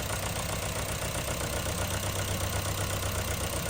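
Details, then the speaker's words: 2010 Honda Civic 1.4 i-VTEC, idle with uneven lope about four stumbles a second and flashing check engine light; odd misfire remains on cylinder 4, cylinder 3 now clear, fuel delivery suspected. "you can see that we still have the odd misfire and cylinder 4 but nothing on three"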